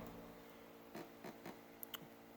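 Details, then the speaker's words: 2007 Toyota Camry 4-cylinder with 82,000 miles on a stripped engine: soft dry clicks as the No. 4 connecting rod is rocked by hand, a loose rod bearing believed to cause the running rattle; the other rods are tight. "this is the connecting rod pretty certain this is the noise I'm hearing while the motor was around me the other guys are nice and tight"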